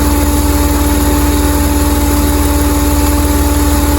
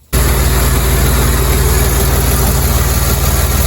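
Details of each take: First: 2007 Jeep Commander after rack-and-pinion and power steering pump work, noise still present: steady mid-pitched hum over an even idle pulse, initially thought to be the pump but traced to a collapsing vacuum hose. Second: 2007 Jeep Commander after rack and pinion, power steering pump and rear hose replacement: smooth deep even idle, no whine or groan from steering; earlier noise gone after hose change.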